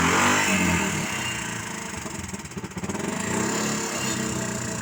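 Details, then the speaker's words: Suzuki Carry 1.0 fitted with a Suzuki Thunder 125 motorcycle engine: loud, raspy single-cylinder bark about four pulses a second, rising briefly with throttle; exhaust is a bare rear pipe with the silencer removed, hence the loudness. "Jadi suaranya cukup keras karena ini pakai mesin motor, jadi suaranya ya tetap kayak motor ya teman-teman. Cuman kalau knalpot motor itu kan di ujung knalpot itu biasa ada saringannya."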